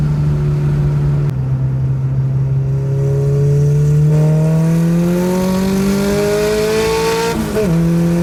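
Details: Nissan Sentra with SR20VET swap, new traction bars, accelerating under load: pitch climbs smoothly, dips once at a gear change, pulls on evenly; boost steady at 9 psi without the earlier surging between 6 and 9.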